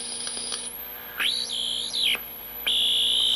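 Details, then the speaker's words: Restored early-1970s Graymark 511 all-band regenerative radio: piercing whistle sweeps and warbles up high as the dial moves. The set is over-regenerating; backing off the regeneration control leaves a clean carrier. "so when you get something that's squealing like that you back off the Regeneration and there you are there you just you just got a a carrier"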